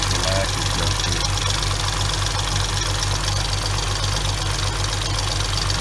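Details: 2006 Hyundai Tiburon 2.7, 6-speed manual: fast, light ticking over a rough idle, keeping pace with the engine, blamed on clogged, oil-starved hydraulic lash adjusters; replacing them removed about 90% of the ticking.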